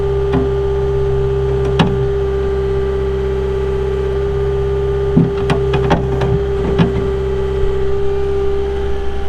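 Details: 2022 Caterpillar 259D3 skid steer, 2,058 hours: steady, even diesel hum with constant low drone and a few light clicks over it; engine running smoothly, normal diesel idle.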